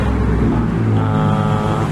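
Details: Aging Timor car stumbling at low revs despite TPS and ISC adjustment and throttle cleaning: a low, uneven idle with an irregular stumble in the exhaust beat. Misfire traced to current leaking from the ignition coil lead.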